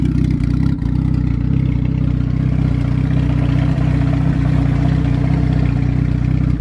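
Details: Turbo Acura with a sleeved GSR B18 on AEM EMS, after fuel filter changes and a leak fix: deep, steady exhaust pulse at an even idle with no knocks, misses or rattles. Normal, clean idle.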